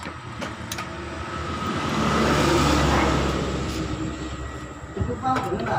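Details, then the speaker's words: Yamaha Vixion New after new piston, boring and tightened valve clearance, timing chain and camshaft bearing checked OK: fast gritty rattle of two or three beats a second when revved, still present; worn piston and connecting rod. "Tapi di sini kenapa motor masih ngecer ya saat digas ya? Saat digas masih ngecer."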